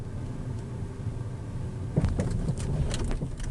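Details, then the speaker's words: Renault Zoe (NE11) driving over a dug-up, potholed road: quiet rolling, then a quick run of hollow knocks from the suspension underneath that repeated garage checks missed; worn anti-roll bar links. "Чуєте тук-тук-тук о знов може так буде чутніше [музика] оце такий звук"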